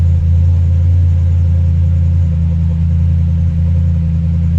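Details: Audi S5 4.2 V8 at first start after intake refit with new gaskets to fix misfire: deep, even idle rumble with steady beat, no stumbles or skips; intake flaps briefly faulted until codes cleared.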